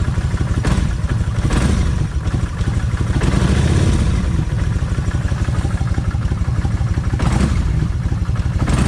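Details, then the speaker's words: Kawasaki Vulcan 1600 V-twin, cold engine, revved a couple of times: a loose, uneven metallic clatter rides over the revs from the rear cylinder's timing (cam) chain. Finding: slack rear cam chain; the owner plans to redo both cam chain adjusters. "when I speeded the motor up couple times that's when this back here would start rattling when I that's when I could hear the timing chain rattle"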